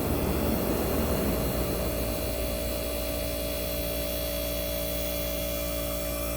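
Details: 1965 Fedders Weatherwheel air conditioner on high cool with the fan cut off: its Tecumseh AJM compressor gives a steady, even low hum with no knocking, rattling or surging. The compressor runs normally.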